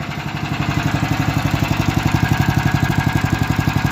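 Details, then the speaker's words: Engine idling after a gearbox reassembly: a sharp, regular knock about four times a second over the low rumble. It ran normally last year; the cause is unclear and valves are suspected. "ты собрал там нормально в коробке но [музыка] какой-то стук есть"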